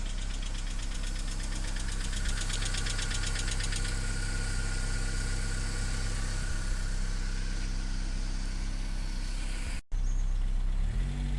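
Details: BMW E46 318i 118hp cold start: fast, even light ticking over the cold idle for the first few seconds, then fading, returning after throttle; hydraulic lifter rattle, fixed by replacing the lifters.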